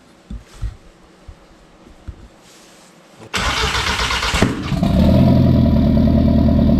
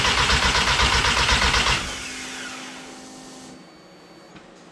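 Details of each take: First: Mk1 Rabbit with ABA turbo and DQ250 DSG swap on E85, after grounding coil: short crank catches, flares up, settles into smooth even loud idle before shutoff; normal start and idle. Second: Mk1 Rabbit with ABA turbo engine on E85, borrowed battery, injectors and coils just plugged in: starter spins the engine at an even four turns a second with no firing, then cuts off; crank no start because the coil was not grounded.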